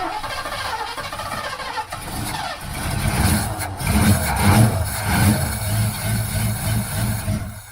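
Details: 1978 Ford Fairmont Futura after GT40P head swap and fuel line trim; engine cranks briefly, catches around three seconds, settles into fairly even low run with no knocks; starts and runs properly.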